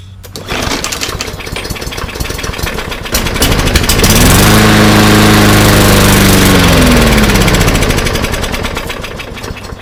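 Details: Yard Machines mower with stale-smelling gas and fuel-soaked air filter catches on a squirt of fuel in the carb, runs a few seconds then fades; stale fuel and fuel delivery fault.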